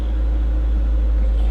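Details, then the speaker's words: Car with 112,000 miles, started on a booster pack after it earlier seemed locked up; deep, even, steady idle with no misses or knocks, running well. "It does, and it runs well."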